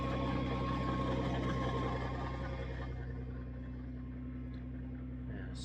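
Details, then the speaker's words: Nissan R35 GT-R after a 1300-mile road trip: steady low drone with a fast, fairly even whirring rumble under the engine note; owner blames the bellhousing bearing, which became very noisy, a common fault on these. "Oh well, it is what it is. It's a common fault on these."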